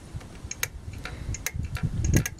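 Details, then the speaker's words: Briggs & Stratton mower engine carburetor fuel solenoid at bottom of bowl, energized with 12 V and ignition on: sharp distinct clicks show it snaps in, a good initial but not conclusive test. "you can hear it clicking it's not a conclusive test but it's a good initial test"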